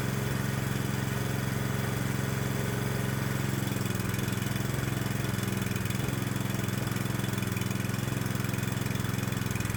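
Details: 212cc Predator single on a homemade adjustable electronic ignition (GM LS coil pack, proximity sensor), timing advanced to 47° BTDC: the beat is steady but slightly labored and uneven. Rough running from excessive ignition advance.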